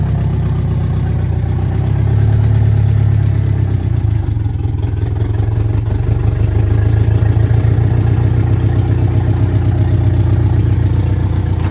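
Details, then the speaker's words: VW Mk2 Scirocco 16v with CIS injection, first run after 20 years abandoned, no exhaust fitted: loud open-pipe idle rumble wandering up and down instead of holding steady; rough hunting idle, battery light on until revved. "I'm not really sure what it's doing. It's kind of all over the place, so Well, is it has no exhaust, so"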